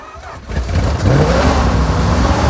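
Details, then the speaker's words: Plymouth TrailDuster with a 360 Mopar V8, first start after 21 years sitting, carburetor suspected gummed: it fires after a short crank and holds a loud, blatty, uneven low rumble at idle. The exhaust has broken off, causing an exhaust leak. "motor sounds good that's what I'm talking about hell yeah exhaust broke off sitting there idling holy crap right"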